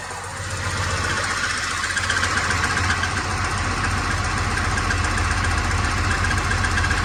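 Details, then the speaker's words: 1986 Ford F350 with swapped 5.9L 12-valve Cummins diesel idling; steady rough clatter with faint high whir and little chirp, confirmed worn throwout bearing, transmission must come out for replacement. "so KJ checked this noise out this afternoon and found out that it is the throwout barar Clifford is running but we have a slight issue now"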